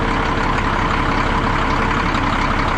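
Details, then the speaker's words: 1962 Peterbilt 351 with an old pre-cup Cat diesel, started after sitting about 3 months over winter, with the camera left beside it: a loud, deep, steady idle with an even rolling clatter and no misses or knocks; healthy. "I can sit and listen to this thing idle all day. It sounds so good."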